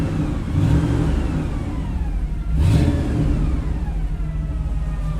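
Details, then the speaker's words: Chevy K1500 that banged through gears after hauling 5000 lb of dirt, then lost reverse with a bang: whining while running, and in reverse the engine flares up freely with no drive taken. "so basically whenever the the trucks running you here because of whatever's broke off I guess so then when I put it into reverse you can definitely hear that and as you can see we're in Reverse"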